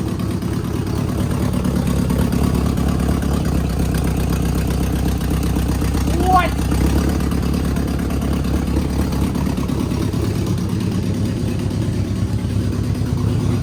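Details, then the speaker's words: Abandoned Subaru 2.5 RS, sat almost 20 years, first start on old gas with straight open headers: loud, raw, steady idle with deep even pulses and no knocking or ticking; normal running. "Dude, it runs. It doesn't knock. But mine is good. It's running on that gas."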